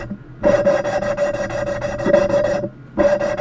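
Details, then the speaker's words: Ford 3.8 cylinder head valve job: repeated scratchy back-and-forth rasping strokes with thin squeal, pausing between sets, growing quieter as the valve laps in and beds against its seat; about five to ten minutes per valve. "you actually getting somewhere now it's a lot quieter now watch what happens when I pop this up a little bit louder"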